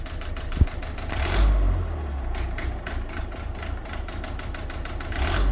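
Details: Volvo C30 1.6 diesel, Siemens injectors: rough idle with loose uneven clatter ticking over low rumble; diesel knock suspected from bad injectors, unconfirmed.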